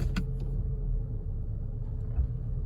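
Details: One sharp metallic click, then a fainter one, over a low idle rumble from the rear of a 2015 Infiniti Q70L when shifting into a direction-changing gear. This is the harmless Nissan/Infiniti rear axle spline click.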